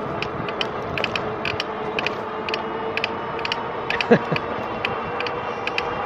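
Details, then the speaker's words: RadRover e-bike riding at about 21–22 mph: irregular sharp ticks and ratcheting clicks over a steady motor hum when pedaling. The owner suspects a cracked bearing or part at the pedal crank; the cause is not confirmed. "I think for sure if I start pedaling, you'll hear it. Sounds to me like a bearing or something cracked. Where you turn the crankshaft in that area."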